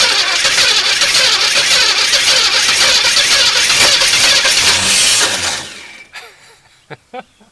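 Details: 1981 El Camino sat 21 years, carb primed with gas: long fast cranking that stumbles, almost catches, never picks up, dies away; some cylinders not firing from rodent-chewed spark plug wires.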